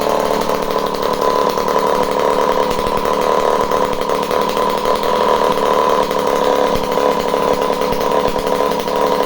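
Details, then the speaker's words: Homelite C51 two-stroke chainsaw that had been sent back as a non-runner, fresh fuel in, carb needles at base factory settings (3/4), spark confirmed: it fires and holds a steady, even high buzz with no stumbling or surging, running cleanly. "You send something and then it just doesn't work when it gets to somebody, and it comes back and then it works."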